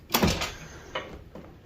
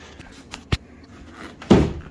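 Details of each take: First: 1999 Chevrolet Suburban GMT400 door after new door hinge bushings and door pin roller; one firm clean thump on closing, no pop or sliding on the striker pin, latch engaging normally; normal door closing. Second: 1999 Chevrolet Suburban GMT400 door before new bushings and door pin roller: light clicks then one sharp loud pop as the door shuts, check strap snapping over a worn sharp lip at the roller; door sagging about 1/8 inch; door check pop.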